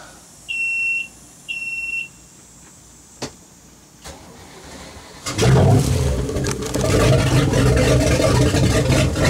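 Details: Boat starboard engine first start after impeller change (impeller lubed with dish detergent), following steam from exhaust: two short alarm beeps, pause, then the engine catches and settles into a steady, even run.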